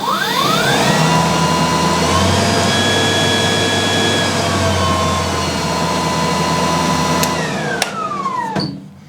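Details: New Snow Joe iON100V-21SB 100-volt 5-Ah brushless cordless 21-inch single-stage snowblower, first start at unboxing: a quick rising whine settles into a smooth, very quiet steady hum, then winds down evenly. The healthy brushless motor runs normally.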